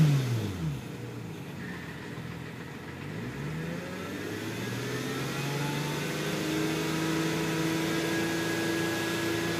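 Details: Hyundai Tiburon revving and settling to idle with a thin, steady whine above the engine note; the source is unknown.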